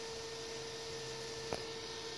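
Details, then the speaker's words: Cooling fan of an off-grid solar inverter, Reliable brand, running an 8 hp 30-gallon compressor test: steady mid-pitched tone over the fan's airy hiss; one of the fans makes a funny sound, cause unknown. "of these fans are making a funny sound"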